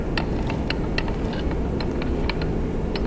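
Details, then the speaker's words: 1989 Mitsubishi Starion/Chrysler Conquest 5-speed RWD manual transmission on the bench, shafts turned by hand in third gear: light irregular ticking and gear chatter from counter-shaft and main-shaft gear lash. This is normal gear rattle. "that noise is from the gear lash that happens when the gears on the counter shaft and the gears on the main shaft are interacting with each other. So that's a normal noise. That noise is in all manual transmission."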